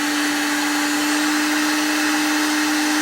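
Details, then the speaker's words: Pecron E1500LFP power station running as a full UPS at about 1,400 W after mains power is unplugged: loud steady motor whine holding one pitch, change heard at switchover, no stumbling or surging; normal motor running on inverter power. "you can hear the motor change when it when it switches over to power yeah UPS got a light here so this will operate as a full UPS"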